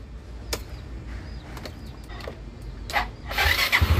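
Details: Yamaha Mio MX125 scooter after starter motor cleaning for a no-start: a few light clicks, then the starter catches and the engine fires into a lumpy, rising idle; a clean electric start.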